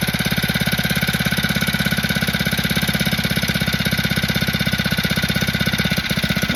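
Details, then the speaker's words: Phatmoto two-stroke motor at idle with choke about one-eighth open, not yet fully warmed: quick, even putter around two hundred beats a minute, holding steady without hunting or dropping; smooth, healthy idle. "this time I am getting a nice and smooth Salon the engine he not searching dropping going higher nothing as you can hear it looking pretty good"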